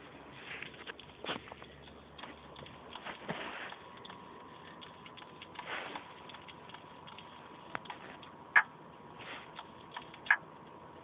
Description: When i turn my ps3 slim on it makes a cracking noise and it doesnt let me play my ps3.